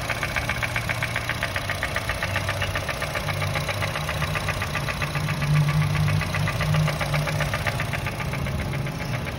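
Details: 2010 Honda City i-VTEC petrol engine idling with a steady metallic knock, nearly four beats a second, which persisted after a tappet adjustment. Cause found: piston no. 2 scuffed without oil, with worn rings and lost compression; fixed with new rings and a block polish.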